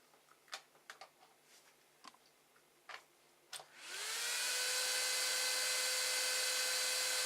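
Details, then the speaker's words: Noisy AMD CPU heatsink 80 mm fan cooling a 24 V to 12 V buck converter in a 3D printer: after a few clicks it spins up to a loud steady rushing hiss with a high whine; to be replaced with a Silent 8 fan. "okay so I'm going to see about fitting this so let me plug it in one more time so you can hear the noise level"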